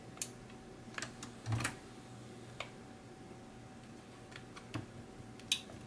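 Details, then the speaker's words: 1984 Sony TC-V10 cassette deck, powered without service manual, meters pegged and no output: a few sharp, dry clicks over a faint steady hum as record is pressed; relay pulling in properly. "that's definitely doing the relay I can hear the relay clicking when I hit record"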